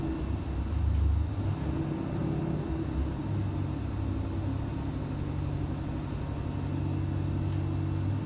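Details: Junkyard 5.7L Hemi with Comp stage 4 cam, S475 turbo, long-tube headers, 80 lb injectors, on dyno under boost: steady low drone under load with no knock, miss or boost flutter; runs clean.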